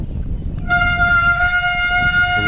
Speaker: can see it's squealing, but you're going to keep holding that pressure, if not increasing it slightly.